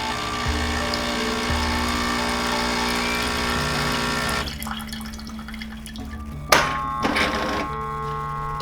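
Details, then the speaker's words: Jura Impressa C60 espresso machine, switched on: steady pump buzz for a few seconds, then cuts out with water trickling into a cup; normal automatic startup rinse. "So when you turn it on, it might wash itself. So just have some cup or something underneath. Yeah, it's rinsing right now."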